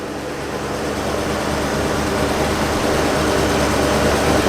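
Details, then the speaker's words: 1950 flathead Ford V8 Pilot, restored to the original points ignition and carb setup: starts well from cold and settles to a steady, even, smooth low rumble with no misses or knocks, a normal cold idle. "you just cannot comprehend how much of a relief how much of a relief that is for it to start so well from cold"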